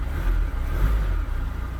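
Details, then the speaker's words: 2016-17 VW Transporter T6 2.0 diesel after full service, fuel filter bled via electric fuel pump: fires up straight away and runs with a steady, even low rumble, no stumbling or misfire; normal running after start. "Now we're going to start it up. There you go. It's fired up straight away."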